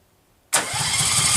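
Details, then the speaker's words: Restored Case 446 tractor, first start attempt after rewiring, choke pulled, throttle cable unhooked: starter spins engine with even chugging pulses but it never fires; owner suspects no spark. "crap sounds like a spark problem like I'm not getting any spark"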